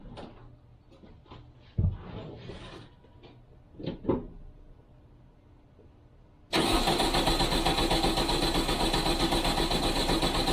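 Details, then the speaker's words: Classic VW Beetle race engine after strip-down check-up and reinstall, first start after cranking for oil pressure: a few seconds of cranking, then a steady, even idle with no exhaust ticking or puffing; healthy start, no exhaust leaks, carbs not yet balanced. "sounds pretty good actually sounds uh sounds like it doesn't have any exhaust leaks which is a relief"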